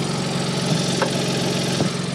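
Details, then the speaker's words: Peugeot 107 idling after a cheap aftermarket exhaust was fitted, with the old centre pipe not seating properly into the new section: a steady low hum with a faint breathy chuffing on top. Exhaust blowing at the pipe joint. "you can hear it blowing and it's because I can't get the old Center pipe to house correctly into the new exhaust"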